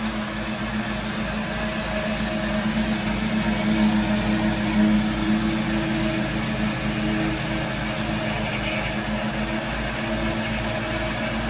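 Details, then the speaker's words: Shallow well water pump restarted after six months idle, valve barely open while priming: steady motor drone with an even low hum and faint pulsing as it draws, building to almost 30 psi. "15 there we go now it's drawn now we'll let the air out again that's almost 30 lbs that means it's drawn fairly well"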